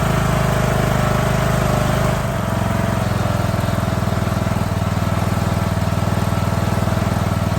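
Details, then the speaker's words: Scrap lawn mower single-cylinder engine, first start after basic maintenance, running without an air cleaner before final carb adjustment: smooth, steady fast thump with no stumbles or knocks; runs well. "oh man the stench of Gears of pack rat burning off that engine but she's running really good"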